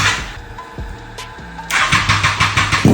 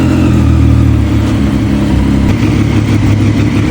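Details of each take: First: Abandoned Triumph Street Triple first start after fluid change (new oil, filter, coolant): lumpy, uneven beat with irregular pulses instead of smooth triple hum; rough running, owner suspects only two cylinders firing, injectors removed for cleaning. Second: Triumph Street Triple, abandoned bike restored, first start after fluid, oil and filter change; earlier seemed to run on two cylinders, injector cleaned with throttle body cleaner; now loud, steady three-cylinder running with firm even beat, clean rev, no misfire.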